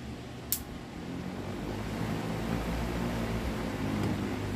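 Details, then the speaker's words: Electric fan on the workshop bench, original capacitor swapped for another one to test: low, soft hum with a faint slow beat and little airflow; the fan stays weak, pointing to a shorted motor winding. "Vamos fazer um teste aqui vamos ligar aqui da energia ele continua fraco tá vendo se aumentar a potência aqui ó do capacitor"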